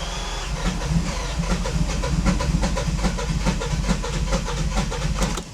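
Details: Bentley that had not started in 8 years: fuel pump heard priming, then steady rapid cranking at about two beats per second that never fires. Cranks but won't start.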